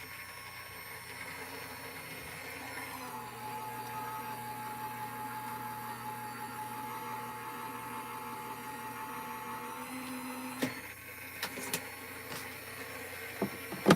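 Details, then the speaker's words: Gemini Junior die-cutting machine, off camera, feeding a hot-foil plate sandwich through without shims: steady low motor hum with soft whir, a few light clicks near the end; running normally. "i grab the bottom and the top corners here and i feed it right through my gemini junior which is off camera"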